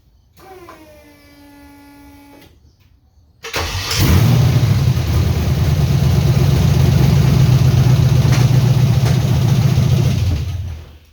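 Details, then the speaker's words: LS-swapped 1979 Ford F150 dump truck after reconnecting airflow sensor: V8 revs and holds with uneven lumpy beat and little knock; has spark, fuel, 180 psi compression, injectors swapped — misfire, cause not found. "Well, that just sounds worse."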